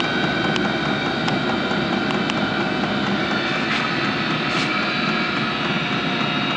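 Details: HCalory SS2 diesel heater at level five, mid setting, drawing about 25 W: even blower rush with faint regular fuel pump ticks about every second, no surging or misfire; running smoothly.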